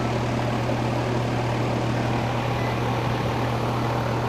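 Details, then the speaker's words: Air conditioner with no cooling: the fan gets voltage and runs, but the compressor gets no voltage through the capacitor and draws zero amps. Low fan hum and whoosh with no compressor kick-in. Compressor not starting due to a bad capacitor. "I got voltage going to the voltage going to my fan but no voltage is going to my compressor."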